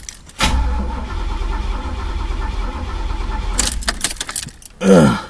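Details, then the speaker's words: Chevy El Camino sitting about six weeks, gas gauge broken and reading full: starter spins about three seconds but never fires; fuel filter bone-dry on both sides, tank empty; crank no start, out of fuel. "damn well here's the reason no gas getting up in the car nothing coming out of fuel filter I check the other side nope bone-dry"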